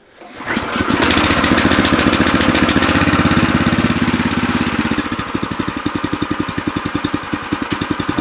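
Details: New O'Mac MC700 tiller's petrol engine at first start, fuel tap open, throttle then set to minimum: catches at once, runs fast briefly, then settles to an even, quiet putter while warming up; healthy start and idle.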